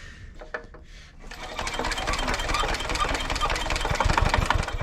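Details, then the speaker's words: 1970s Hatz diesel compactor roller, long unused, after fuel bleed, hand cranked with compression release repeatedly reset: rapid chuffing puffs near three a second, one pop, close but never catches; cranks, no start. "oh did you guys hear it i made one pop made one pop it's gonna go i can feel it"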